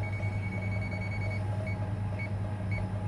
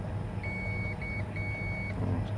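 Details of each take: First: Getra meat slicer, dead with no power: a non-contact voltage tester run along the power cord switches from a steady beep to slow, different chirps at the spot where a conductor is broken. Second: Getra meat slicer, dead with no power: while checking the power cord before rejoining a broken wire, the tester gives clear high continuity beeps over a faint hum; this cord wire is intact.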